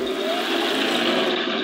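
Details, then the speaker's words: Tamiya 1/16 Tiger 1 RC tank fitted with Heng Long sealed pro gearboxes. A smooth, steady high whine with none of the old rattly gear noise; quiet, healthy gearboxes. "quite quiet though like you can hear a little line out of them but it's not that racky gear noise they used to get out of uh not only the older tamiya gearboxes but like any of the hens long gearboxes also"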